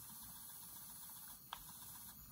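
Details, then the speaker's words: 'International'-branded personal stereo cassette player, after belt change with the belt refitted: quiet, even whirr of fast forward spinning at steady pitch with no slipping or dragging; belt drive healthy. "and fast forward and see that spinning round and stop play uh fast forward again you can hear that"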